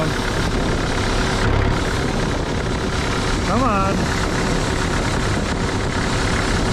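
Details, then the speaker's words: Used Moffett truck-mounted forklift diesel after unloading: steady low idle chugging evenly, won't shut down when turned off; cause unknown. "on actually how do you how does this turn off now oh boy seriously what what do I do come on die so close come on come on die yeah no seriously what is going on"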